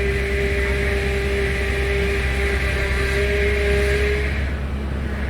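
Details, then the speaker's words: 2008 Toyota Tundra at idle after refilling low fluid with Dexron ATF: assist restored but steady mid-pitched pump whine from air in the fluid; needs bleeding by turning lock to lock. "we got consistent power steering assist now but it's noisy because it's full of air"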